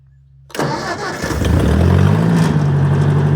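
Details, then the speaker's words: 1953 Ford NAA tractor, converted to 12 V, cold start with no choke after sitting a few days, mid-50s °F (41 that morning): cranks briefly, catches at once and settles to a steady even idle; a healthy cold start. "Look at that. No choke."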